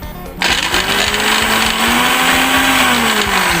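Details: Sharp fruit and ice blender that would not start, running after the fix; a steady high whine spins up quickly and holds an even pitch without grinding or labouring, so the blender runs normally.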